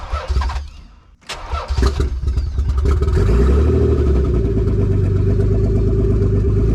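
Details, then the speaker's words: Turbo Z with a newly installed engine, first start, cold: starter churns, fires, settles into an even steady idle held by the idle air control, no misses. "We're getting a good idle from the idle air control while it's cold."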